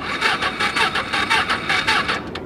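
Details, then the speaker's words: Small salvage Ninja motorcycle at a Copart yard, battery has power: starter spins it over with quick even chugs, four or five a second, never fires, then stops; cranks but won't start. "come on there it goes it ain't looking good it's not looking good"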